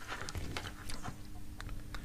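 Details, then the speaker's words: Mobility scooter electromagnetic brake with 24 V applied to it. Sharp, dry clicks over a quiet room as the brake releases into freewheel; the brake works fine. "voltage 24 volts you hear the click and it's the freewheel okay so some free will there works fine"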